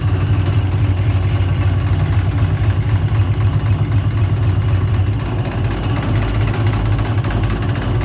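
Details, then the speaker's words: Subaru EJ208 engine at about 800 rpm idle, checked for knock: steady, even low rumble with no ticking or knocking, fourth cylinder not knocking; this side of the engine sounds quiet and healthy, belt in good condition. "Тут все тоже тихо, все отлично."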